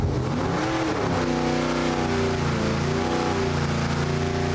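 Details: Junkyard 6.4L Gen III HEMI V8 with stock short block and heads, new springs, cam and manifold, on the engine dyno: strong, steady roar at an even pitch under load, no knocks or misses; normal.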